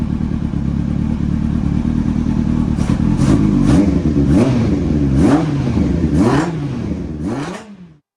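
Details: Yamaha R1 off the road about 5 years, carbs leaking fuel and needing rebuild, suspected ignition issue; run on starting spray, it runs raggedly with revs hunting up and down every half second, then fades and stalls.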